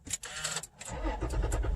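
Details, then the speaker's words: 2016 Toyota Tacoma push-button start after a no-start caused by a dead key fob battery: a few light clicks, then a brief crank that catches straight away into a steady run; clean start. "Oh, it's perfect again. But for how long? Oh my gosh."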